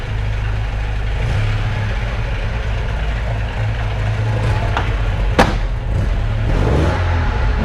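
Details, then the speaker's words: 1978 Alfa Romeo GTV 2000 (2-liter carbureted twin-cam) idling in a garage before the door is opened: a low, steady burble with even pulses and a couple of clunks around it; a clean, normal idle. "Go ahead and start it up so you can hear the engine, and then we'll run through the lights."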